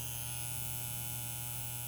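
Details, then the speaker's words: Steady low electrical buzz with faint hiss from an overheating breaker in a home electrical panel; bus bar melting and burning the adjacent breaker, a shock hazard. "hear that buzzing noise that is you getting shocked so don't touch anything and back away"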